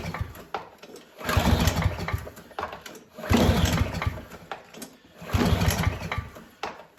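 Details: Yardworks mower long stored in a farmer's barn, old oil, self-choking carb, first start attempt: three recoil pulls about two seconds apart, each short cranking burst without firing; cranks but won't start, cause not confirmed.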